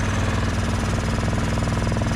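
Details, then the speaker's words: Yamaha Grizzly 450 4x4 barn-find ATV, jump-started from a truck that is running nearby: an even, steady single-cylinder thump on choke with no misses. Idles smoothly but dies immediately with the choke off. "I was able to jump start it and get it to run though here it is running and actually running really smoothly"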